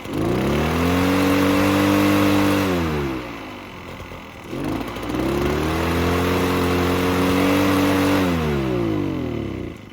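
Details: Echo PB-403T two-stroke backpack leaf blower that sat for years, on choke: revs climb to a buzz, hold, sag and recover, won't rev to full throttle, smoking; bad fuel suspected, carb cleaning planned.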